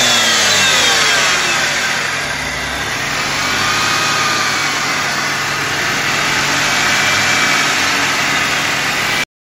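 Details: BMW E46 engine idling and revving: harsh gritty grinding, drilling-like metallic noise; cause unknown, owner asking for ideas.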